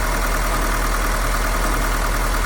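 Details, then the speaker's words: Mahindra with missing, knocking and rough running (nozzles already replaced elsewhere), injector sockets unplugged one at a time after a cylinder 4 code: rough, lumpy idle with uneven beat; number four injector not working, dead cylinder. "गाड़ी बंद करो तो हमारा चार number injector जो है वह काम नहीं कर रहा है"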